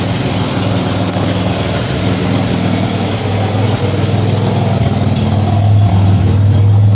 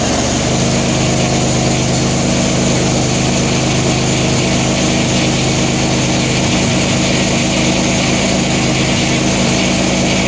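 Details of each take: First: 2007 Pontiac Grand Prix with ZZP XPZ cam, cold start, microphone at rear: low rumbling idle with rough puffing edge; exhaust leak at flange still missing its gasket. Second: 2007 Pontiac Grand Prix with ZZP XPZ cam, recently retimed after timing chain correction, cold start: steady even idle with smooth low drone, no misses, knocks or stumbles, no smoke or leaks, 50 psi fuel pressure.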